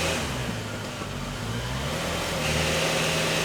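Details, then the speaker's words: 2000 Lexus ES300, engine running, shifted into drive and reverse. A faint rhythmic ratcheting, crunchy and scraping noise is heard underneath; it lurches on gear changes but the wheels won't turn. Failed automatic transmission. "I hear like a ratcheting really bad, kind of like a little crunchy noise. I do feel like it wants to do something."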